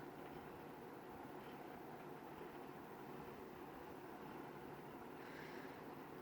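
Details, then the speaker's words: 20-inch Lakewood S223 box fan, second generation, apparently oiled at some point: steady even rush of air with no ticking, rubbing or grinding; runs quietly, bearings sound healthy. "aside from that grill it sounds like it runs nice quietly the bearings on this are very nice"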